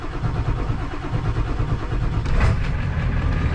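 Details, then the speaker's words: Engine on a snowy Christmas morning. Long, steady cranking without firing while the fuel is pumped up, which the owner attributes to air intrusion somewhere in the fuel system rather than a starting fault. Long crank from air in fuel. "see that's it pumping fuel up that's not it struggling to start that's just it trying to pump fuel up so there's a there's air intrusion in there somewhere"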